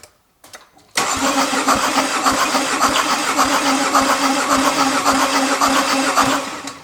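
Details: Mercedes OM651 diesel no-start check, compression gauge fitted, about 30 seconds of cranking reaching 25 bar: steady starter cranking about three and a half compression beats a second, even and regular; normal cranking, compression satisfactory.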